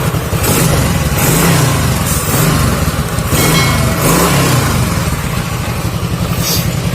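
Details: Honda Astrea 800, long stored, after reassembly with good compression: small single fires straight away and blips up and down crisply with an even beat and no knocks; runs healthy.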